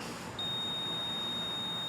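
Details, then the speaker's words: Wheel Horse 416-8 tractor with over 2275 hours that won't crank: a multimeter continuity test on the low-oil switch gives a steady high beep. The switch is working and is not the cause. "if the switch is working properly when there's oil in there there should be continuity through the switch and i can check that with my i can check that with my multimeter which should beep if we've got continuity"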